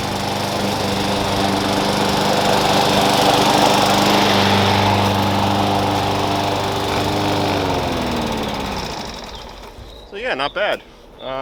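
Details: Push lawn mower that sat for years, revived with new blade, blade bell support, air cleaner and cover; steady even drone holding speed as it cuts grass, then winding down cleanly, healthy and strong.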